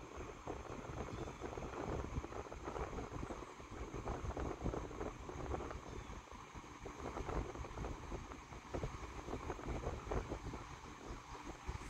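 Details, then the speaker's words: GE Vortalex 10-inch oscillating desk fan FM10V41, about 1949-1950, metal blades, on high speed: steady soft rush of air, no rattle, tick or blade buzz; still very quiet while powerful, normal running. "still really quiet on high speed too really powerful"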